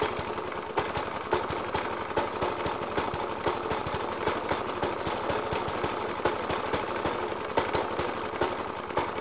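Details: 1991-era Suffolk Punch 30S mower with Dellorto FCH 20 carb, after new spark plug, decoke and carb clean; uneven idle with hard irregular bangs about every second; rough idle with banging, cause not found.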